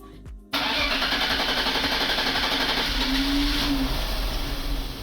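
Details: 1996 BMW 7 Series E38 728i with M52 engine: starter grinds on with an even churning rhythm for several seconds without firing, no fault codes; extended cranking (new crankshaft sensor and fuel filter didn't cure it).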